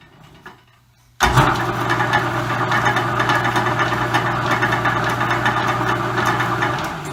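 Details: Roughly century-old Dominion Auto-Drive lathe gearbox on new oil, lathe partially disassembled, likely high speed: abrupt spin-up to steady low hum with light irregular clicking and clacking; normal, healthy running.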